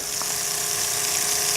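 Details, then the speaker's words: Repaired RV drinking water pump (was leaking; disassembled, cleaned, reassembled) pumping water fast: steady, even high hum, no surging or labouring; pump body doesn't leak, only loose fittings; runs quietly and normally. "No leaks there. You see how fast that water's going down, I hope. Quiet pump too. So it seems to be working."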